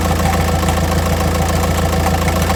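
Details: 2006 VW Jetta TDI BRM diesel, manual: at idle the clutch is held in for the first 10 seconds, then released, and a quick, even rattling pulse rides on the low hum; clunk rattle at idle with clutch engaged, source not pinned down.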